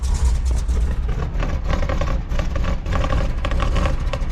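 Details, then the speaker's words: 1966 Ford F-250 factory 4x4 that sat 17 years, running on its own with a steady, low rumble and even pulses and no obvious knock; one cylinder is known to be low on compression. "all right we're going to call it quits on that note it is a runner I can't believe it"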